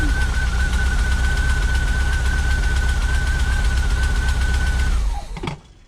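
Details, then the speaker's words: VW Vanagon after installing new GoWesty starter replacing a failing original that gave weak slow starts and drained the battery: engine runs smoothly and evenly with a faint steady whine, then shuts off cleanly; sounds much better. "That sounds way better."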